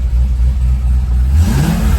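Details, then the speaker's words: C5 Corvette Z06 back running after repairs, RPM gauge not working: deep V8 rumble rising smoothly on a quick throttle blip, no misses or knocking; engine revs cleanly and sounds healthy. "Sounds good though."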